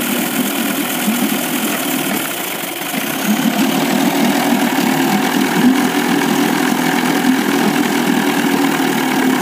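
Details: 1998 Evinrude 25 outboard at low rpm: an uneven, stumbling idle that misses on the lower cylinder. Spark is strong on both cylinders, the charge coil reads 330 V peak, the power pack 170 V cranking and the trigger 10 V. Cleaning the carb and swapping the coils and plug wires didn't help.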